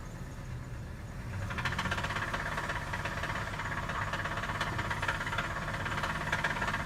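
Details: Cold engine being revved gives a heavy, rapid hammering knock like a jackhammer under the hood, speeding up with revs; rod knock suspected, not confirmed.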